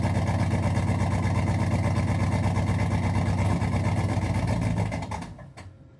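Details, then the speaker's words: 1986 Chevy Camaro Z28 after sitting: sluggish, labored slow cranking, never catches, winding down to silence; slow crank, no start, owner concludes it needs a battery. "All right. Doesn't want to start after sitting. We'll give it some juice."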